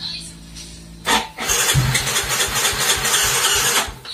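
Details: Yamaha Mio Soul GT (YMZ FI) scooter, battery had dropped and was recharged; ignition on, the fuel-injection pump makes no sound, and the starter spins the engine about three turns a second for a few seconds without firing: crank no start.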